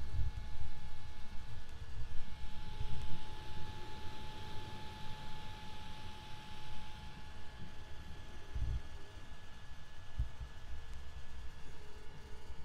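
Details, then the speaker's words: FLSUN Q5 delta 3D printer while printing: steady whir, mostly the fan, with thin stepper-motor tones, the extruder as the next loudest source, and a soft uneven low shudder from the steppers; normal printing noise. "so the loudest thing on here is this fan you can also hear these motors going a little bit and the second loudest thing is probably the extruder"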